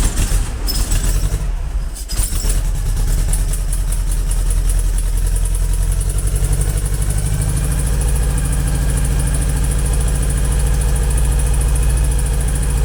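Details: Engine start after modifying the Weber IDF carburettor idle jets to stop them blocking and fitting a manifold vacuum take-off for the brake servo: brief cranking, then it catches and settles into a steady, even low idle with no misses.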